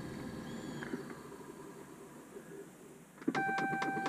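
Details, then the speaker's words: 2010–2012 Dodge Ram 1500-3500 cab, quiet then rapid clicking behind the dash from a failing blend door actuator; air comes only as air conditioning and to the feet. "uh today we got a problem with our blender door actuator here and uh this is the sound it makes if it will do it or not"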